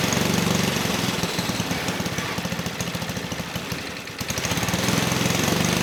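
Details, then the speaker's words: 1959 McDonough T-10 Tin Lizzie go-kart, single-cylinder engine reassembled after 30 years disassembled: crisp, regular popping that dips and picks back up as the idle is adjusted down; running clean, normal. "Okay, good. So, the engine sounds good."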